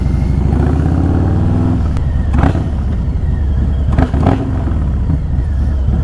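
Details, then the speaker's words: Harley FXLRST Low Rider ST, Stage 2 117 ci with Star Racing 30/30 cam, day after Power Vision dyno tune, on a ride: deep exhaust rumble pulls smoothly through gears with clean shifts, greatly improved, healthy under load. "so the today is the next day taking it out for a ride so you can hear it really really greatly improved"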